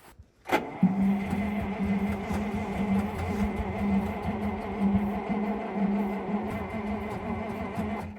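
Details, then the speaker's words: Ural V8 military truck at −8°C, unstarted for 6 months, no preheating: the starter cranks steadily for about seven seconds without firing; owner suspects it is not getting fuel. "I think there's an issue with the fuel. Let's try pumping it up again. Let's see if that helped. I think it's not getting any fuel."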